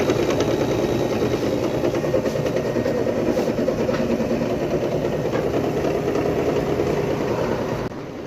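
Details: Window AC fan motor running with a loud steady whirr and a rough, fast rattle of about three beats a second on top; abnormal fan motor noise, at the workshop for repair.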